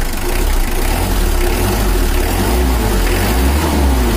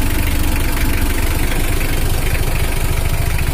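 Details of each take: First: Brand-new Mitsubishi L300 diesel on factory injection settings, owner complains of heat at highway speed: heavy, lumpy idle with slow dull pulse, lazy and damp-sounding before tuning. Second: Brand-new factory-standard Mitsubishi L300 diesel after tuning to add power, owner had complained of running hot on the toll road: steady, even idle at a firm low beat, sound now dry but not harsh, throttle responsive; healthy.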